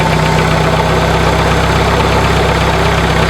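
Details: 1996 Dodge Neon with failed alternator bearings: rough, continuous gritty grinding/scraping over the even idle, loudest near the front accessories and much louder when revved; easily confused with an internal engine noise.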